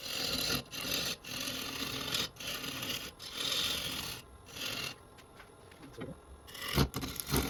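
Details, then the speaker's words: Walnut bowl blank being turned, wetter inside than advertised; rough scraping with a sharp rhythmic catch each turn as the scraper crosses a crack in the spinning blank — scraper chatter over a crack. "That noise is this crack when you're using a scraper."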